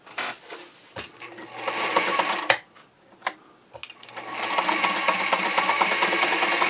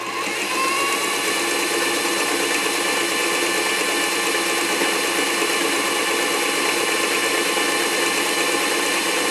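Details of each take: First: Singer 237 Fashion Mate (237M-A), as-found, dry and unserviced, at full stitch length punching holes in paper towel while testing reverse: light, uneven rattling tick of about three stitches a second with short pauses; runs but dry and clattery, needing service. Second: Singer 237 Fashion Mate (237M-A) after a clean, lube and adjust service, sewing a wide zigzag set around 10–12: fast, even mechanical chatter at steady speed, no knocking, binding or grinding; normal, healthy zigzag stitching.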